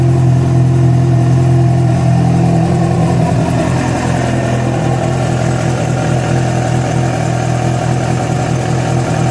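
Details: Yamaha FZ6 idling after riding ~70 km on two cylinders from a failed ignition coil connector: a rough, uneven low thrum with a faint rattle; a strange engine noise of unclear cause.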